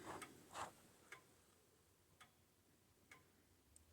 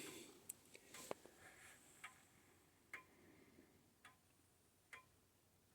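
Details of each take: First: Old-style grandfather clock after turning the beat adjustment: quiet tick-tock about two beats a second in a still room, evenly spaced; clock now closer to in beat. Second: Old-style grandfather clock being set up, before beat adjustment: ticks about once a second with alternating long and short gaps, an uneven tick-tock showing the clock is out of beat.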